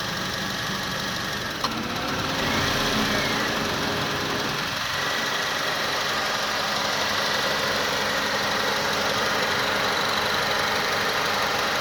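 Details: 2006 Honda Accord, 104k miles: with A/C on, the idle stumbles and nearly stalls each time the compressor cycles, then the ECU recovers. Runs smoothly with the A/C off; cause unknown.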